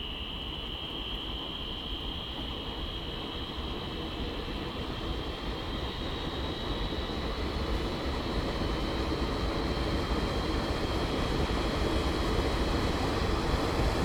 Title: UUT #2 1/4HP Dual Shaft - Light squealing noise